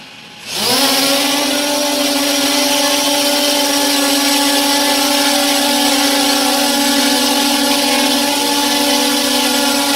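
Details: Restored JJRC X17 drone in flight after repair: four motors spool up into a steady, even high buzz holding pitch; healthy. Normal drone motors in flight.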